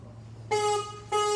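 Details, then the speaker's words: 2011 Harley-Davidson CVO Road Glide Ultra FLTRUSE, 31,692 miles, electrical check: two clean, steady horn blasts about half a second each, firm even pitch, no rasp or warble; horn works normally. "unit has a working horn"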